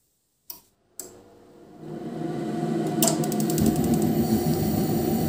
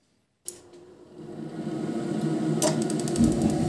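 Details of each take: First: Ariston Uno 24 gas boiler after board repair, fan relay replaced: ignition and relay clicks, then a steady fan rush with light regular ticking as the burner lights; normal start-up, fan no longer stays on and no restarts. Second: Ariston Uno 24 wall-mounted gas boiler after fan relay replacement: fan spins up, rising in pitch, with clicks from gas valve side; boiler restarts many times instead of lighting first time, fixed by resoldering control board parts.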